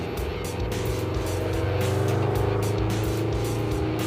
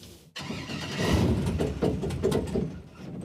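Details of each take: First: 1974 Chevy stepside muscle truck with swapped all-aluminum LS6 V8, after new plugs and new clean injectors: deep, even rumble pulling steadily on the road, no miss or knock; running smooth, possibly better than ever. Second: Project boat V8 with carburetors and electric fuel pump, fuel confirmed: starter churns it over unevenly with a few weak catches but it never runs, because the throttle linkage from the gas pedal to the carburetors was disconnected.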